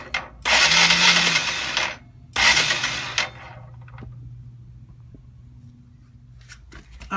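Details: Honda CBF 125 motorcycle, turned over to check for internal clatter: two short bursts of fast, even starter whirring with no firing and no clatter. The engine spins freely but never catches; the cause is not yet confirmed.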